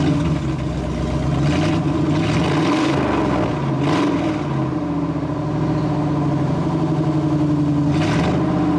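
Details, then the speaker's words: 1998 GMC K3500 with the 454 (7.4L) Vortec V8 running straight pipe after the rotted muffler was cut off, a deep, loud open rumble swelling as it revs; no louder than with the muffler. "yeah i don't think that muffler was doing anything because it doesn't sound any louder to me"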